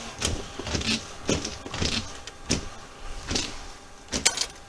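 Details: Chevy Malibu wipers after reinstalling arms that had popped off (bushing problem): steady swish-and-thud sweeps, even and unbroken at all speeds, working properly.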